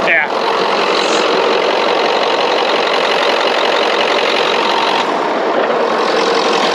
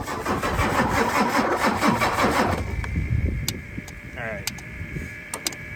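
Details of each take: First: 1990s Ford F-250 7.3 Powerstroke diesel with a veggie-oil conversion, sat 10 years, started once the glow plugs were used. A steady, even diesel clatter at idle with no misses or knocks: a normal diesel idle. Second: 1996 Ford F-250 7.3 Powerstroke diesel with veggie oil conversion, sitting 10 years: steady cranking about 2.5 seconds without a single catch; cranks but won't fire, starved of fuel; injector buzz test planned.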